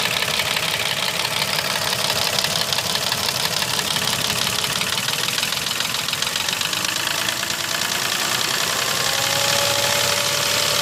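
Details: Mercedes M112 engine with scored cylinders, driven knocking for three months: sharp, rapid metallic knock about three per second over the idle; piston knock from scored cylinder walls.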